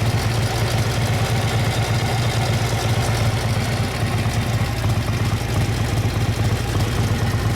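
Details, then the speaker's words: 1957 Harley-Davidson FLH Panhead tank shift with sidecar, 1,076 original miles: even, loping low thump of the big twin idling steadily with no knocks, ticks or rattles; sounds healthy. "So, I'll get in here and let you hear this beautiful motor."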